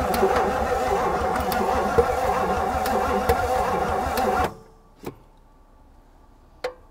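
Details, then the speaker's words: 1959 Edsel Corsair Ford V8 parked 40+ years, after oil in cylinders and new cap, possibly flooded: steady starter churn about three beats a second for four seconds, never catches, not even catching anymore; cranks but won't start. "- Man, it won't. - It's not even catching anymore."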